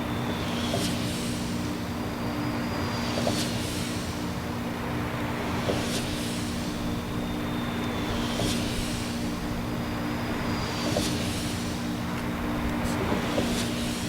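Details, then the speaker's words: Wind turbine with oil all over the tower: steady low hum with a heavy clunk about every two and a half seconds as each blade reaches bottom and its weight shifts; blade possibly loosening at root segment, suspected, not confirmed. "it's got oil all over the tower um go around this side too but it's making a clunking noise every time a blade gets to the bottom clunk clunk"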